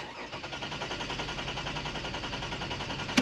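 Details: 2008 Toyota Avalon cranking at about six even beats per second but never firing, a crank-no-start; security light blinks, aftermarket key; ECM won't communicate with the ABS module connected; jump-started backwards earlier, dealer replaced fuse box; cause unconfirmed.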